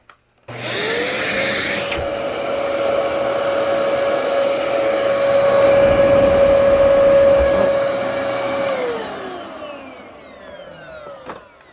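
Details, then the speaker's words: Dyson DC14 vacuum after installing a bad brush roll: loud rushing roar cuts out abruptly as the brush roll locks up while the motor hums on; motor-to-clutch belt needs replacing. "Oh, yep, that brush roller locked up. Okay."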